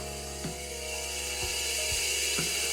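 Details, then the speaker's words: Ford Kent 1600 Formula Ford engine (Van Diemen RF96K), cold, unrun for years, leak-down test ~20% loss: continuous hiss out the bottom past piston rings; rings possibly not run in or surface-rusted. "you can really hear it coming out the bottom so it's all piston ring"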